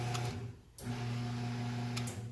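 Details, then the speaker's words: Craftsman garage door opener, model 139.53627, turns on but won't open the door: unloaded motor hum that stops and restarts; the spline/spider drive gear is completely worn out, so the motor spins freely. "trying it's trying but it's not doing anything"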